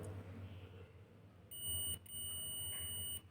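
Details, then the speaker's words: Multimeter continuity test on a coil of wire, probes on the wire's two ends: steady high-pitched continuous beep with digits fluctuating, dropping out briefly as contact breaks; continuity present, wire coil is in good condition. "শুনিবলৈ পাইছে আপোনালোকে এটা ধুনীয়াকৈ আৱাজ দিছে আৰু কিছু digit অহা যোৱা কৰিছে এতিয়া আপোনালোকে গম পাইছে যে ওয়্যাৰডাল ভাল অৱস্থাত আছে"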